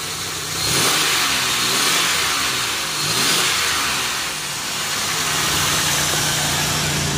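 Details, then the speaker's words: Chevy Venture with a 3.4 V6 at 85,029 miles, hood open. Steady, even idle rises smoothly through a couple of revs and settles back with no misses or knocks. The engine sounds healthy. "let's pop the hood the 3.4 V6 it idle smooth no Miss engine sounds good"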